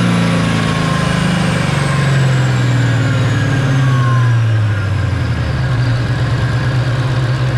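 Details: Ford Fairmont with supercharged Coyote V8 swap on the dyno, ~900 rwhp, after a Magnafuel 750 return-style fuel system install: a deep, even rumble under load with no knocks or rough patches; fuel pressure verified as plenty, running normally.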